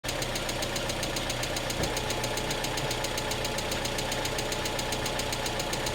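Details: 1991 Mazda Miata, stock engine with pod filter, about 85,000 miles, timing belt not yet replaced; quick, light, steady ticking from the top end at idle, owner suspects lifters, unconfirmed.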